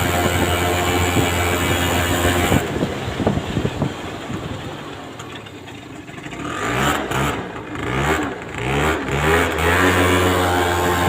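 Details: Aprilia Gulliver 50 two-stroke scooter, which had run but wouldn't drive properly, now fitted with its original larger-opening air filter and the leaking filter neck taped: revs up and down cleanly with no stumble or bog; it runs very smooth.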